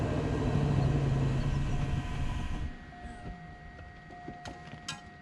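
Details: 2004 Cadillac DeVille, long-parked at end of life, starter possibly stuck before, battery charger connected: low, rough engine note holds about two seconds on sprayed starting fluid, then dies away; cause unconfirmed.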